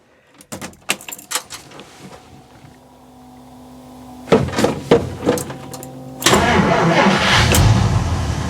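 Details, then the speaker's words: 1959 Dodge Coronet V8 cold start after brake work: a few clunks, brief cranking, then it catches within seconds and settles into a strong, even rumble; healthy cold start. "man she starts right up she starts right up this whole car wants to live man she does listen to that"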